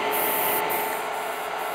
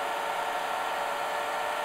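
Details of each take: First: IBM DPS-2000BD power supply charging several battery chargers at about 60–70 A total: voltage fluctuates up and down with a steady airy hiss swelling and easing about every half second; silent and stable once load rises further. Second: IBM DPS-2000BD server power supply at 14.6 V feeding several chargers totalling about 120–130 A: only a steady rushing fan whoosh at high speed, no hiss or crackle under heavy load; supply stays cool and healthy.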